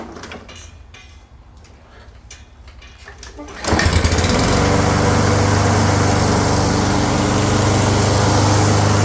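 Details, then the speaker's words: Toro 22 Recycler mower after freeing a stuck drive wheel (plastic wheels, metal drive gear): quiet idle rising to a steady, even drone, grinding gone; drive works but weakly, cable tension adjustment still planned. "But, uh, all that grinding noise is gone cuz that thing's not stuck in there. It's working."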